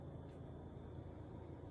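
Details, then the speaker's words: Refrigerator running: low engine-like drone building up, stopping when the door opens; evaporator fan motor assembly damaged by ice buildup. "it almost starts like sounds like a I don't know an engine starting or something and it builds up and what happens is when I open the door I want you to listen did you hear it stopped so what that is is my motor assembly is damaged"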